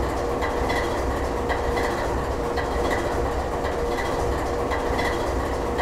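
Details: GE 7FDL16 diesel at low idle: a deep, steady rumble with a soft, even beat roughly once a second, ticking over smoothly.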